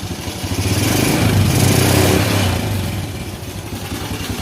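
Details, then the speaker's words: Honda Supra Fit New motorcycle running before repair, blowing heavy smoke: loud, rough, clattery idle with an uneven pulse around four beats a second; worn cylinder and piston, needs a rebore. "Oke, setelah asapnya itu ngebul, itu suara mesinnya sangat berisik sekali."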